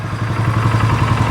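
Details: 2015 Polaris Sportsman 570 EFI single-cylinder ATV that sat outside for years, reportedly "blew up"; owner unsure if it hydrolocked from water. Warming up after revival: steady, smooth, even low thump with no knocks or misses. Engine quiet, normal idle.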